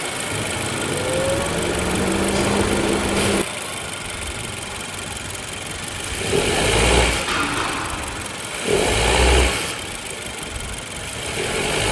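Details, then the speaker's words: Honda Civic RS Turbo at idle after a new serpentine belt, tensioner not yet replaced: faint chirp and whine following each throttle blip. Noise is only about 50% gone and the tensioner is suspected. Engine belt noise. "Start करने के बाद मैंने आवाज़ खुद भी सुनी है और आपको भी सुना दी है कि इंजन के अंदर आवाज़ 50-50 है, मतलब कह लें कि 50% आवाज़ ख़त्म हुई है और 50% आवाज़ जो है वो स्टिल अभी भी आ रही है।"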